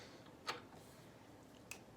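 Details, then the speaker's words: Honda CB550 fitted with Dyna-S (Dyna-Tech DS1) electronic ignition replacing points plate, static timing check at full advance marks in a quiet room: one sharp snap then a fainter tick; spark fires right on the timing mark. "and that went off statically right where it's supposed to."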